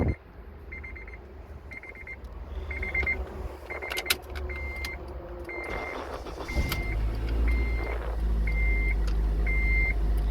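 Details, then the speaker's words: 2004 Honda Element after replacing the ignition switch to fix buzzing no-start: key-in chimes, then the starter catches quickly and the engine settles into a smooth steady idle; normal start after repair. "and it started right up sweet and that's pretty much it"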